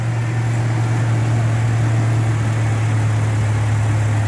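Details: Toyota Vigo pickup idling smoothly after a no-start one morning, fixed by refilling the empty radiator and adding petrol to a near-empty tank; steady, even low hum with no knocks or stumbles, healthy idle.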